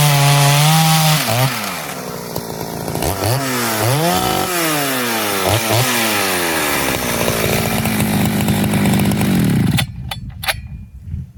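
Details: Poulan 5200 chainsaw, test cuts in wood: screams up, bogs slightly into each cut and recovers cleanly, holding steady pitch; normal running under load.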